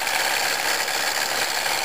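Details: 1997 Pontiac Grand Prix GTP supercharger area: harsh continuous metallic rattle with grinding edge at idle, louder in Drive, gone once accelerating; turned out to be a worn supercharger coupler.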